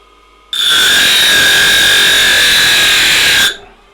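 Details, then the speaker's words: Grinder, new better-built replacement, cutting metal: steady high whine with rasping grind, pitch holding firm, slowing only slightly under the cut with no heavy vibration; healthy grinder. "yeah now look at that yeah he actually almost started scorching it it slowed down a little bit the wheels just keep on spinning this thing eats metal and is absolutely amazing"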